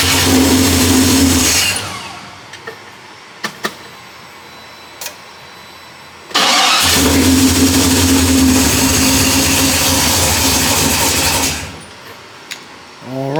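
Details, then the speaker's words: 1973 Impala 406 small-block Chevy V8, first start after collapsed lifter and guide plate repair; long crank before catching, a rough rev, second crank also struggles, raw fuel smell. Hard start, ignition timing suspected off. "There we go, got a little something, but sound like my time is off a little bit because that gas coming out the, that gas smell coming out the tailpipe is smell pretty raw."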